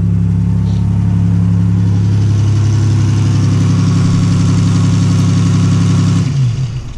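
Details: Buick Grand National idling after the failed alternator (part 7911-4A, brushes broken) was replaced: steady, even low hum with no knocks or whine, then shutdown; runs healthy.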